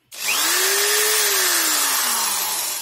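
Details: Corded Proton screwdriver (D600) after repair: had a rattling noise at start and while running, suspected brushes, found to be a weak loose housing part, glued with sealant and screws tightened; now spins smoothly with clean rising whine, no rattle.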